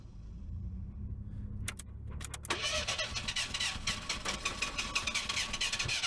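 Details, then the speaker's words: Merkur being cold started after new battery and fresh gas: starter churns steadily, roughly three pulses a second, engine never catches; cranks but will not start, owner suspects bad fuel pump or possibly a fuse. "serious man this thing is just not going to start I think I got a bad fuel pump it's almost guaranteed"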